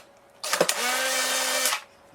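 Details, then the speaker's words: Polaroid camera eject cycle in a loudness comparison between an FK-130SH-16140-converted SX-70 (slower, quieter) and a louder SLR: short, high motor whir with clicks, steady pitch; normal film ejection. "the other thing is that running slightly slower does make the camera quieter you guys can probably hear the difference"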